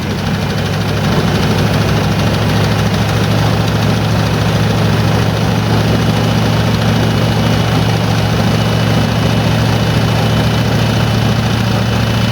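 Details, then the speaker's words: 1986 Ford F250 starting after a new starter and with the carburetor bowls primed, in neutral: cranks and catches, then settles into a steady, even low rumble with no knocks or misses; healthy idle. "Well, a win's a win, right? That sounded pretty good."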